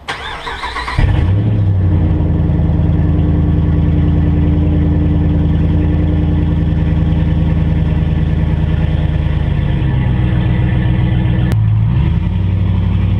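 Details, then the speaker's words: Ram Hemi V8 pickup with unfinished straight-pipe exhaust: engine catches after a second, then a loud, deep, even rumble holds steady with a brief dip; healthy running. "I'm doing the exhaust on my truck it's not done yet but uh I'll take a little drive with you guys so you can hear it"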